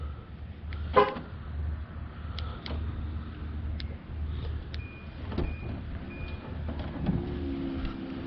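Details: 2012 Nissan Armada power liftgate after repair (a bolt had vibrated out and was refitted): a low, even actuator motor hum runs smoothly with no clicking or grinding; the liftgate now powers normally.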